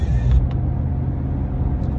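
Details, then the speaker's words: Minivan (Caravan) cabin on the road test after rear wheel bearing replacement, AC and radio off: low, even road rumble with no hum, growl or whir; no bearing noise. "There we go. That's the way it's supposed to sound. No bearing noise whatsoever."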